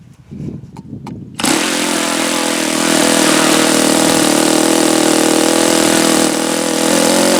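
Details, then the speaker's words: Saito FA-72a model four-stroke on its first run, about 71°F, after leaning, when the beginnings of detonation were suspected: a few flicks, then a steady high buzzing run with a soft, uneven edge. The low-speed mixture is a hair too rich and gets leaned slightly. "Okay, so that little test tells me that was just a hair too uh rich. So, I'm going to lean it out just a little bit here, provided this thing doesn't move on me."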